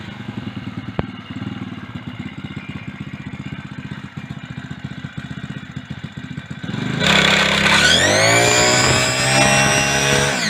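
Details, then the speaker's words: Mk4-Stroke single-cylinder bike with toothed drive belt stripped of teeth, belt turned for test: steady thump about four beats a second, then revs climb sharply as belt slips under load; clutch confirmed fine, belt at fault. "Alright, so what I was able to confirm with that little experiment is that the clutch is fine and it is just the belt."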